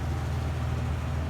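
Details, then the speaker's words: 2002 Nissan Frontier V6 at about 202,669 miles idling; steady even low rumble, no misses or clicks, starts every time after earlier battery clicking from water on the terminals; normal idle. "Yep, it idles. It fires up every time."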